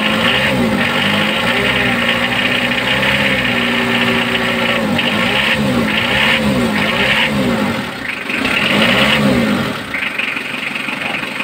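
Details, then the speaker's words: Mitsubishi 4D56 diesel before injection pump adjustment: hard rattling knock over the idle at about four per second, sharper on revs; overfeed "fuel lock" from the injection pump. "Marinig yung fuel lock, parang overfeed, may lagatok siya."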